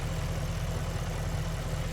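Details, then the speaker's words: Audi S5 4.2 V8 after misfire repair with new gaskets and the air intake reinstalled, with no leaks seen. Deep, even idle burble with a steady low rumble and no skips or stumbles; smooth healthy idle, "purring like a kitten." "She's purring like a kitten. And there's nothing leaking out, which is always a good sign, I think."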